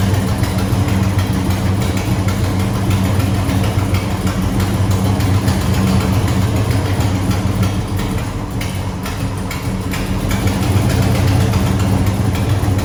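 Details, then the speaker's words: A12 muscle car V8 on dented aftermarket headers, cold start: deep loud lumpy idle with raspy, ragged puffing; exhaust leak from a hole in a header contacting the valve cover. "there's a hole in this header and it literally bounces off the valve cover it is very obnoxiously loud"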